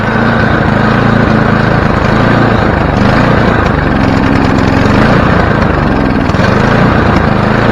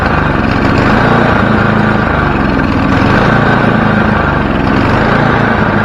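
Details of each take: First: Free, previously dead snowblower small engine, started on choke: loud note swells and sags every few seconds instead of holding steady; surging, likely from the choke left on. Owner says it probably just needs warming up; no smoke. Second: Snowblower small engine started with one pull after carburetor cleaning and bending a part near the hot exhaust to fix surging: holds one steady, even drone with no rise and fall in speed. Surging fixed; normal steady running.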